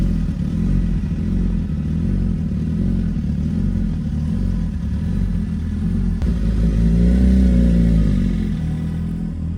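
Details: Suzuki GSX-R 1000, catless header exhaust leak patched with JB Weld and clamp, started and warmed briefly after repair; steady deep exhaust drone with one smooth rev blip, no puffing or ticking at the joint, repair seems to hold.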